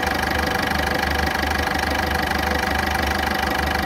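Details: Ford Fiesta at idle, fast even ticking about three per second keeping pace with a loud, rough engine; cause not pinned down.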